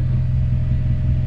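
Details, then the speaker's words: Toyota Celica ST165 All-Trac at operating temperature (thermostat ~185°F), garage idle while diagnosing earlier stumbling, owner suspects catalytic converter: steady even low rumble, no misses or knocks; closed loop, vacuum slightly up, no check engine light, normal warm idle. "i mean she sounds good but yeah nothing on the gauges are screaming out i do not have a check engine light still"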